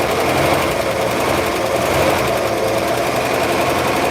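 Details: 1964 Chevrolet Bel Air straight-six, sat for 5–6 years, started on a boost because the battery was dead: a busy, rapid clatter that rises as gas is given. The knock is believed to come from worn bearings.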